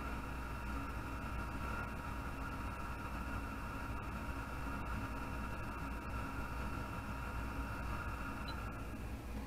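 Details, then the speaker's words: Anycubic Chiron 3D printer with its PSU fan replaced by a 120 mm fan plus the motherboard fan: smooth, constant airy hum with an even whir and no ticking or scraping, sounding loud only because the room is silent; fans healthy. "I mean right now the sound loud it's because there's no other sound going on"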